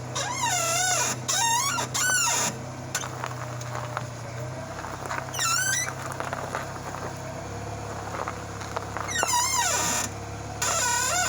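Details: 2001 Honda Accord with a replaced upper control arm gives repeated high squeaks rising and falling as the steering wheel is turned at idle; the owner suspects the lower ball joint, unconfirmed.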